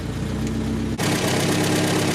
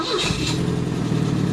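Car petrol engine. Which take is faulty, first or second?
first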